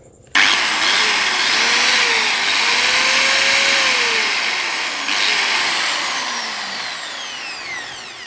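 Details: Small angle grinder after regreasing its gear head, which had sounded like dry metal rubbing with no grease: snaps on to a high, even whine and runs smoothly before winding down.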